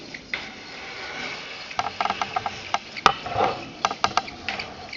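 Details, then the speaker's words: Small coaxial hot air engine; light irregular ticking with short high squeaks as crooked purchased glass tubes scrape, slightly out of adjustment, slowing the engine: glass tube scraping squeak. "and a little bit of squeak here it's a little bit out of adjustment the tube here the tubes aren't really straight the ones that i've purchased but they work they scrape a little bit slows the engine down"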